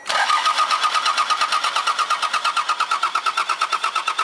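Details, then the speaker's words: Mazda B3000 turbo build, start attempt: steady even starter cranking, about three compression pulses a second, never firing. Crank no start; the pulled fuel line showed no fuel. "all right so we're still not getting fuel"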